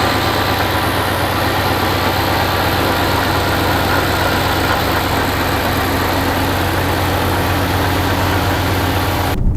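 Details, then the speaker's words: Twin-charged Hemi Dodge Magnum, first drive with exhaust cutouts closed: steady even V8 idle with soft muted rumble, no misses or knocks, sounds like a stock Hemi; normal. "as you can tell the vehicle runs extremely quiet which is awesome it's kind of exactly what I was going for very tame very subtle when you're just cruising around"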